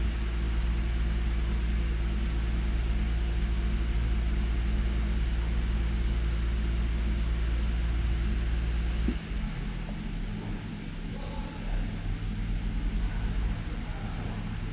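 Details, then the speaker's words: Toyota Avalon with a misfire while the engine is cold: low, uneven idle with the beat stumbling now and then before shut-off. Scan tool confirms cylinder 1 misfire counts; spark plug, ignition coil or injector are suspected, injector likely. "So number one confirm ng cylinder number one na may issue. Hindi natin ma-identify kung spark plug ignition coil or injector."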